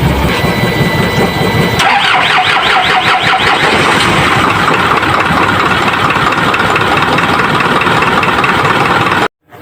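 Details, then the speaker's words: Isuzu 4HL1 diesel, hard starting especially when restarting warm, fuel pump needs priming: long rhythmic cranking before it catches, then uneven stumbling run that never settles to a clean idle. "48 l1 ang problema a hard starting at pag Nagri ka aykog at parang nagtag ang andar ng makina at kung Pinatay mo ang makina galing sa pagar ay mahirapan ka ng paandarin uli"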